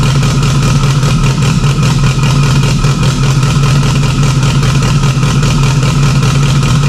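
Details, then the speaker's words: Freshly installed stock OEM Subaru EJ257 longblock in an 1100+whp STI, first start with a fuel leak under the intake manifold. It holds a steady, uniform deep rumble with no knocks, misses or ticks; normal healthy idle. "sounds pretty good for being stck some seem need be adjusted here's a quick way to know how good it sounds motor sounds good"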